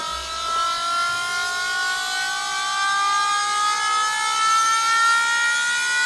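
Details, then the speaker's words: Losi Promoto MX RC motorcycle after jumps from steps, oil found inside the side plate: high electric whine climbing in pitch on the bench from the motor/flywheel area, noisy fan; cause suspected, not confirmed; abnormal motor noise. "so now I want to take this apart because that's what was making a noise maybe we should turn it on and and have a listen again the fan is quite noisy"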